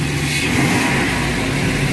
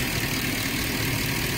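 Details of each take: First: 2009 Ford F-350 5.4 V8 with high idle rpm and occasional stalling while driving, no codes, after cleaning and replacing the throttle body: low, steady rumble with a mild rev rise early, no knocks or misses; running normally. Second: 2009 Ford 5.4 V8 with idle rpm too high and stalling while driving, no codes: fast busy idle that should settle lower, with a hissy airy edge; high idle from a dirty throttle body.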